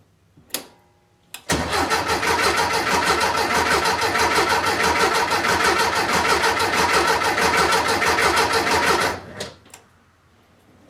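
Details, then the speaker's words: VW Beetle after fitting a new Pertronix distributor and coil, fresh gas added; starter churns steadily about three compression beats a second for seven seconds, never fires; fuel smelled, owner suspects ignition timing, not confirmed. "Alright, well that doesn't sound great. I smell fuel. So she's getting fuel."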